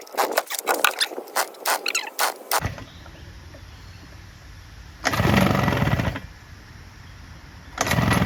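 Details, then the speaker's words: Low compression: quick pull-start bursts with only weak brief catches that die at once, after two-stroke oil in cylinder and a dried spark plug; piston and rings badly scored. "little bit just not enough compression that's it so yeah the Rings and the Piston is scored badly so unless the guy wants to fix it I don't even want to do the job"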